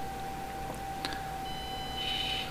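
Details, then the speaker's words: Axial SCX24 brushed ESC, thin steady high whine at about 1–2 mm throttle pull with no movement, engagement a millimeter or two later. "here I don't know if you guys can hear that but pardon me we do have a wine but no movement and that that's probably a millimeter or two"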